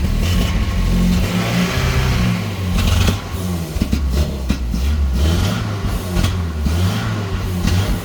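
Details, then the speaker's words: 1986 Nissan pickup with a non-original engine, leaking a lot of oil, owner unsure whether a fuel pressure regulator is fitted and suspects possible overfueling: engine revs up and down unevenly with a lumpy, stumbling note and some clatter; rough running, cause unclear. "But if I don't have a fuel regulator, I might be overfueling it. I don't know what they're supposed to run at."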